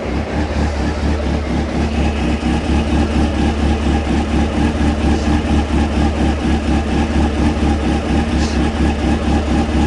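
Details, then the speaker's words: Honda CB600F, about 26,000 miles, cold, after work on cylinder two misfire, air filter off, tank temporarily refitted: steady even idle, smooth regular pulse, no misses; all four cylinders firing, running normally. "Well, that's a good sign. It's responding quite well considering it's cold."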